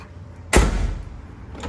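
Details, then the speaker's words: Hyundai HB20 door slammed: one heavy, loose slam with a brief rattle as it shuts; the door doesn't close properly and the latch (fechadura) is totally loose and worn, unlike the silent rear door. "Qual o barulho que ela faz quando você bate a porta ela tá totalmente solta e faz esse barulho"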